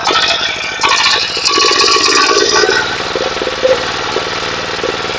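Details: Water pump's small single-cylinder 11.25 engine after repair: damaged regulator gear repaired, neglected oil changed, pipe renewed; even steady beat with no knock or rattle underneath; running healthily.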